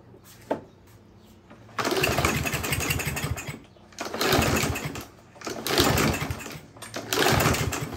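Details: Murray 21-inch mower with Briggs & Stratton engine, sat since last summer, no start: catches on starting spray and revs in short surges then stalls each time, fuel not passing the carburetor; fuel starvation from water in fuel.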